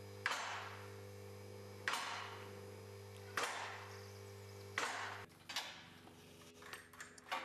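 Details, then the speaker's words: Strongman Tools Clifton 3-ton mobile mid-rise platform scissor lift raising under its motor-driven pump: sharp metallic clacks about every 1.5 seconds over a steady pump hum as the ratchet safety locks drop into position; normal lock clicking. "as you can hear the locks are clicking into position as the lift raises the locks will drop into position you'll be able to hear them clicking in this happens every few"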